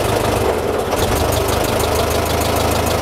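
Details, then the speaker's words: 1926 Ford Model TT ton truck, started with a little choke, switched from battery to magneto: a fast, even, crisp ticking buzz from the coils rides over a steady low idle; coils click louder on AC magneto current, normal running. "I will switch her from Battery to Magneto and you'll hear the coils sound"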